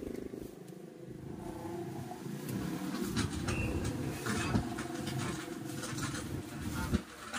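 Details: Amplifier, speaker under test: loud, rough crackling roar with rumbling bursts that could damage speakers, especially tweeters; noise traced to dirty equalizer slider contacts on the input path to the amp.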